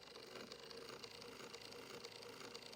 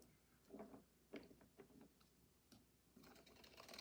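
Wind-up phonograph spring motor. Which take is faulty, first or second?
second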